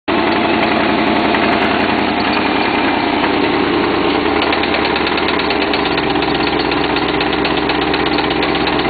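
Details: Jaguar XJ6 with 1996 LT1 V8 swap idling: steady, rapid knocking over the engine note, started after about 10 miles driven with incorrect knock sensors; owner unsure what it is.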